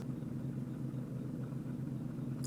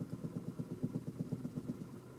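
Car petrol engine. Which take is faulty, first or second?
second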